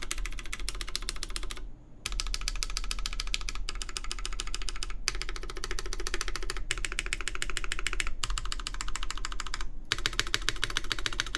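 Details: Baron Boards BP One keyboard with full aluminum plate, GMK Terminal keycaps and lubed Cherry MX Black Clear Top switches: rapid uneven key clacks with a hollow ringing body, loudest toward the open back and the top row, where there is more space below the keys. Case resonance.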